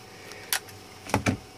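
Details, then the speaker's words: 3D printer extruder stepper on a DRV8825 driver set to about 1 A (MKS board, Marlin), extruding 10 mm at 5 mm/min: sharp dry clicks over a faint hum as each step ends. Motor runs hot and misses steps; driver suspected. "motor is vibrating I can hear it click in I can hear it almost knock in each time it comes to the end of that stroke of movement because obviously it's all done in small increments to get through each step"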